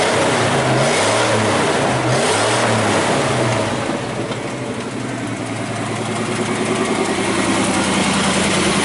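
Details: 1979 Chevy square body 3/4 ton 350 V8, revived after about 23 years parked, still warming up: quick blips rising and falling cleanly, then smooth even idle with steady firing, no misses or knocks; normal idle and revving.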